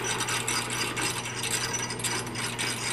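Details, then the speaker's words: Aftermarket three-speed tractor-pulling transmission being assembled, gears turned by hand after clearancing shift forks: even light clicking of gear teeth with steady low hum, no grinding or catching; gearset meshes cleanly. "sounds like it's pretty good now we're gonna check the neutral gate and the shift travel"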